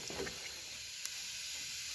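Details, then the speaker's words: Car overheating with the temperature warning light on and both radiator fans not running; a continuous level hiss of steam escaping from the cooling system. Owner suspects a fan fault and checks the radiator fan fuse; cause not yet confirmed. "बाकायदा आवाज़ आ रही है steam बाहर निकलने की।"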